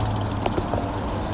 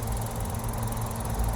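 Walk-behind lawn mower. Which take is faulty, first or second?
first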